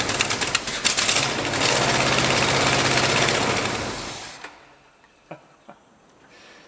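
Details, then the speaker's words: 1986 Dodge Ramcharger with a rain-soaked carburetor whose accelerator pump may not work, started during reassembly: loud, uneven rapping run for about four seconds, then it sags and dies; runs rough and will not idle. "doesn't want to idle but it does run"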